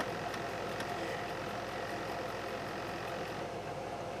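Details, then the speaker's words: Slimline laptop floppy drive after drive belt replacement: steady low whir with faint scattered ticks, no grinding or strain; disk reads successfully, drive motor a little noisy. "it's a little noisy in there but it successfully read the disc"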